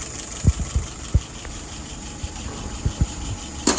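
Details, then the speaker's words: '48 test engine with a freshly restored, adjusted carburetor, no leaks: slow, soft idle at 640 rpm, low steady rumble with a few light irregular thumps; fuel pressure about 2.75, vacuum 23. Normal idle, just slightly below the preferred 650-700. "Current idle, 640. I like 650 to 700, but that'll do for now."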